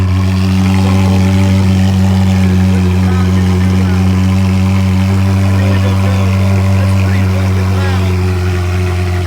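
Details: Ferrari 360, first cold start after a Gruppe M air box install, recorded on an iPhone: loud, deep, even cold idle pulsing about four beats a second with no misses or knocks. Normal.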